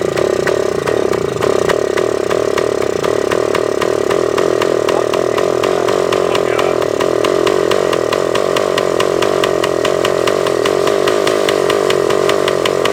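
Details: Suzuki TS400 Apache two-stroke after an earlier runaway, bolt fitted in the exhaust drain, baffle blown out: screams at steady high revs with a crisp buzz, never dropping to idle. Throttle cable found extended; they hope that was the cause.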